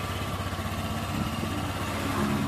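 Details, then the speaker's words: Honda Vario 125 engine idling steadily after full rebuild, first test run with radiator cap off; smooth low rumble, no knocks or misses, noticeably smoother than before; normal idle. "nah sudah halus ya kemudian air radiator tinggal kita isi lagi teman-teman"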